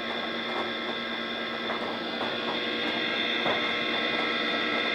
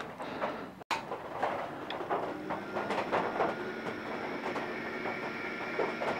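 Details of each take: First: DEC VAXstation 2000 hard drive at power-on during self-test: steady high whine with irregular ticking and chattering about three per second; faulty hard drive. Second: goes a lot quieter which is good and that's the sound you should hear and we're off and running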